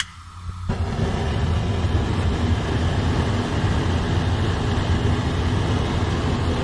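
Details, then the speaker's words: Gas fireplace burner tested after a new gas valve handle was fitted and the leaking furnace cap was repaired: soft ignition, then a steady low rumbling roar without popping or fluttering; lit and running normally, though parts may be slightly clogged and need burning out. "it there it is this is nice little furnace like I said some of these will probably clogged up a little going to take have to be burned out a little bit other than that it's cool"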